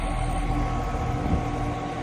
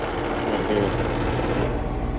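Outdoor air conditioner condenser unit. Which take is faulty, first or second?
second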